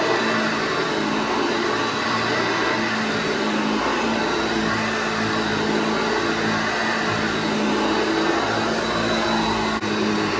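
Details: Restored vintage Hoover Junior 1334 upright vacuum, demonstrated after full restoration and reassembly: steady, even motor whine, no rattle or rubbing; motor and bearings running sweetly.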